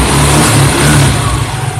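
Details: Carbureted Yamaha Mio after CVT repair, noise blamed on the pinion touching the connecting gear; cover refitted, engine revs smoothly with no metallic scraping or crackling from the belt drive; normal CVT sound.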